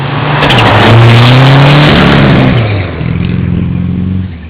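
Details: Mitsubishi Starion at high speed: hard pull, engine note climbs then drops off and stumbles at the top end; high-speed misfire, cause not obvious.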